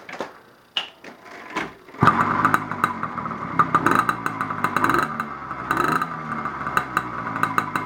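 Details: 80cc China Girl two-stroke bicycle engine with the white magneto wire under load (light) so it sparks; a few pops, then it catches at about two seconds and keeps running with a busy, crackly beat, healthy.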